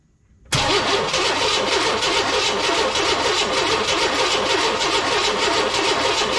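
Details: 1998 Chevy work truck with no spark: starter cranks at a steady, even rhythm of about three turns a second but the engine never fires. Crank sensor signal and power check OK; ignition control module suspected, not confirmed.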